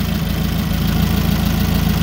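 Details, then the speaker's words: Nissan forklift with K21 engine running rough at idle with uneven, stumbling pulses from a single-cylinder misfire. An amp-clamp current-ramp test found a shorted primary in the cylinder 1 ignition coil, likely behind the failed catalytic converter. "all right so i'm gonna start it up you can hear it it runs rough"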